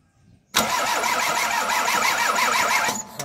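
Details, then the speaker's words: Toyota Corolla 2E cranks steadily at about 200 rpm for over two seconds but never starts; no spark even after ignition coil replacement, distributor being removed for repair. "wala talagang ano kuryent kuryente no"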